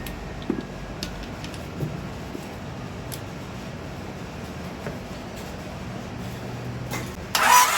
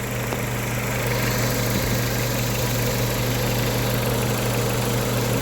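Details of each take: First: Engine after rod bearing replacement, sat a long time, extra battery connected; starter spins it evenly about four beats a second with no firing because the distributor wasn't hooked up. Crank, no start. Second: 1998 Honda Civic with replacement engine after rod bearing failure: quiet, smooth, even idle with steady low hum, no knocking or ticking, like a sewing machine; normal idle.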